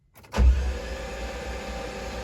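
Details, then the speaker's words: C5 Corvette engine being readied for racing, cranked with spark plugs removed to prime oil: fast, even starter spin with no compression pulses, turning freely unloaded while oil pressure builds; normal. "engine spinning over [Music] no spark plugs are in so it's able to spin over pretty quick with no load and here comes oil pressure"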